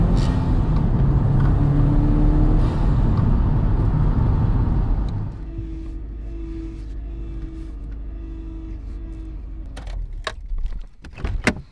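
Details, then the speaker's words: 2004 Subaru STI after engine reinstall and new clutch, repeat boost pull: strong smooth rise through the revs then easy settle, no hesitation or flutter; first pull had slight hesitation and one check engine flash; normal boost. "this thing runs absolutely perfect though so surprised at first it was a little bit hesitant getting into boost and my check engine light flashed once"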